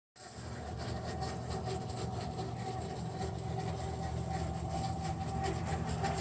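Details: American Standard Freedom 90 single-stage natural gas furnace making an abnormal noise: a steady low blower hum with an irregular trickling, gurgling water sound.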